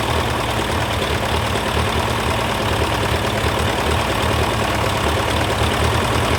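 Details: TO35 diesel tractor at idle after the fix; steady, even low thrum with no more loud ticking or tapping; normal idle.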